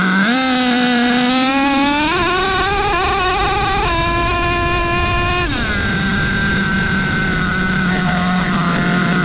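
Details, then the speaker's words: Nitro RC car with three-speed transmission, trigger pulled slowly: engine note climbs and drops cleanly into second then third, shifts well spaced; shift points adjusted properly. "But if you slow your trigger pull down, right, you will get some distance between the two shifts, and it'll sound a lot better, and you will be happier because you will hear these gear changes every single time your transmission comes up to speed."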